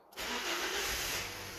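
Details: Toyota Auris 1ZR-FE that would not start, after IG2 fuse found blowing and refitted: engine catches straight away and settles into an even, steady run with a hissy top end; healthy start.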